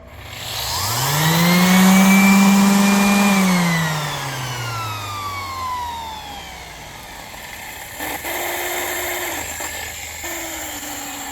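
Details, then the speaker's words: Sander with failed bearing: spins up to a loud siren-like whine, holds briefly, then coasts down; bearing needs replacing. "my sander just gave out the bearing is no good no more so I probably have to uh see uh where I can buy the bearing and fix it"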